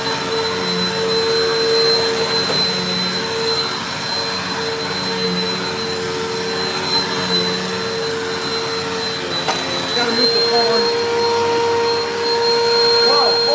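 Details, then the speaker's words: Vacuum cleaner with a replacement Rushwell bearing taken from another machine: a hard, steady whine and shrill high tone over the airflow rush; abnormal motor noise, bearing suspected to sound bad, motor judged not shot. "That did not sound normal. Hold on."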